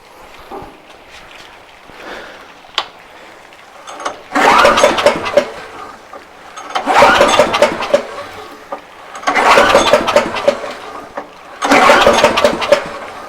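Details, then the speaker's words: Bear Cat chipper engine, fuel on, carb sprayed: four pull-start bursts that turn over briefly but never catch. Owner suspects flooding or lost spark, possibly from the switch prongs under a small cover; unconfirmed. "I think we might have a flooded situation going on here I'm not 100 sure why I think what ended up happening I lost spark"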